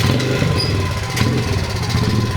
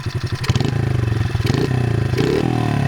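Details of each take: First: 2003 Honda XR50 pit bike, modified for adult use, sat outside for an unknown time: small single idles unevenly with a lumpy, surging beat, dies if throttle opened quickly; owner suspects a dirty carburetor. Rough idle, likely dirty carburetor. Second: Modified 2003 Honda XR50 pit bike that previously bogged and wouldn't idle after sitting outside: after repair the small single-cylinder barks cleanly and revs up crisply without hesitation; runs much better.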